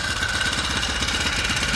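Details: Four-stroke single-cylinder bike on a stand with a newly fitted frame-mount floating spring idler pulley tensioner: even idle with light steady chain rattle; chain runs smoothly with much less slap than the previous pulley; normal running.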